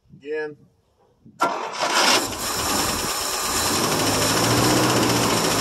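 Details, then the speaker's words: 1963 International C120 4x4, 266 V8, first cold start in about three years, leaking carb bowl, gas poured in: catches after cranking, surges and stumbles, runs only when fed fuel, possibly flooding; fuel starvation. "well as you guys see it did take a start it does run if you feed it"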